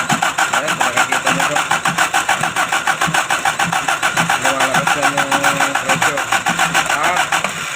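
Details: Toyota 5K engine: starter churns with even pulses about five a second throughout but the engine never catches; crank, no start.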